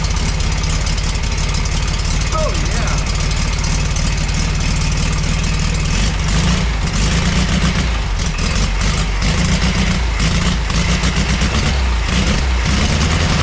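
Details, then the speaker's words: Rehabbed '62 VW Beetle engine on a test-run bell housing with new flywheel, clutch and starter, before timing was set: even, steady low thrum with no misses or knocks; fires up and idles smoothly. "I don't think we can complain about that. Fires up, idles wonderfully."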